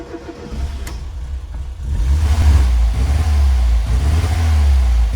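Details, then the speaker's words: 1991 Ford Fiesta barn find, stored for years, cold start: brief crank, then catches and settles to a strong, even, fast idle on choke with no misfire or knocking. "it runs and well isn't it just a Charming old car and that sounds really really nice we're on choke at the moment for those of you that remember what choke is"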